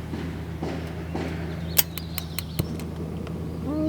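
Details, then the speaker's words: Norcold RV refrigerator that won't stay lit on propane, especially at night: series of sharp regular spark snaps, about six over a second, over a low hum before lighting; slow ignition, electrode gap under 1/8 inch instead of about 3/8. "that's the ticking that's the spark and U it is way too close it's it's probably it's probably under an eighth of an inch should be about 3/8"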